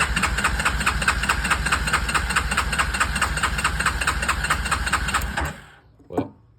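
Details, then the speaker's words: Yamaha Kodiak 450 ATV (late 90s/early 2000s) with rewired push-button starter, on choke: starter cranks in even chugs about twice a second for five seconds and never fires because the newly wired kill switch is off. "I wonder now, did I shut the fuel off? I did not shut the fuel off."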